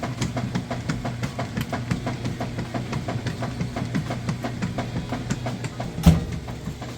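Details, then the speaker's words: Kenmore direct-drive top-load washer, large load, agitate set to maximum, full of water: rhythmic swishing with soft thumps about twice a second over a low churn, no scraping; agitation is normal. "See, it's doing an excellent job agitating and getting those clothes vortex down along the center and bottom fins."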